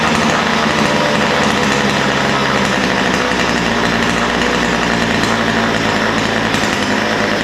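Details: Ryobi two-stroke line trimmer after low-speed mixture needle adjusted slightly rich: steady, even buzz with no stumbling or surging; mixture set right, normal running.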